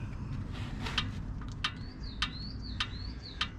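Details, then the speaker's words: 2007 Nissan Elgrand E51 front track rod end rocked by hand, wheel off: sharp dry clicks about every half second; worn track rod end ball joint, to be replaced. "So this is the ball joint in question. I had that off yesterday and it is clicking, if you can hear"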